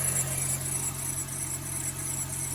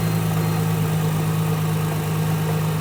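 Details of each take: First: Mercedes SLK350 R171 engine at idle: faint, high, pulsing squeak over steady idle from the belt drive; tensioner pulley seen wobbling, fixed by replacing the tensioner and two idler pulleys. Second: Mercedes SLK350 R171 after replacing both idler pulleys and the tensioner for a squeak/whistle: steady even idle, low hum, no whistle or squeal from belt; alternator bearing still suspected of slight noise.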